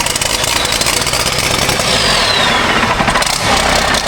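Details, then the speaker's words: Military Humvee after a Cummins diesel engine swap, first fire-up with the cab off after air was put to the fuel tank because the primer wasn't working: it catches cleanly into a steady, even diesel clatter. Healthy start and idle. "She furs like a kitten, folks. Listen to that baby bird."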